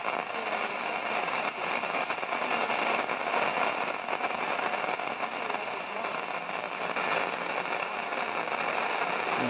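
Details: 1946 Zenith 8H034 AM/FM tube radio under repair, powered up: dense continuous crackle and hiss like rain or a thunderstorm, no program audio; noisy fault, cause unknown.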